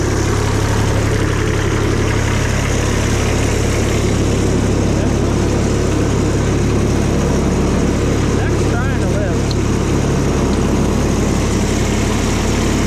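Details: Cushman front-deck diesel mower bought as scrap (supposedly bad hydraulic pump), just fired right up on a good battery after slow-warming glow plugs: low, steady diesel chug holding an even beat throughout, no misses or knocks; normal idle.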